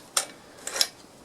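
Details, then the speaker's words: Bicycle pre-service check, chain off the chainring, crank spun by hand: dry, gritty rasping ticks with no smooth whir; bottom bracket bearings noisy and very dry, likely assembled with little grease or grease washed out. "crank and just listen to the bearings yeah they're noisy very dry"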